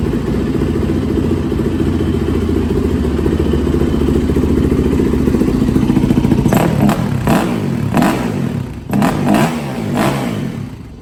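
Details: 2004 Yamaha YZ450F single after inspection, valve clearance, timing and carb/jet cleaning tune-up: idles evenly, then crisp throttle blips rise and settle cleanly; healthy with no misfire or knock.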